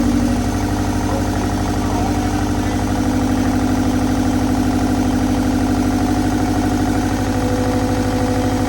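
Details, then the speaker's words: Car started after about 20 years sitting, possibly flooded, with homemade exhaust manifold: lopsided idle throbbing about three pulses a second, sounding like running on two cylinders; misfire cause suspected, plugs to be replaced. "hey wow sounded like it was running on two"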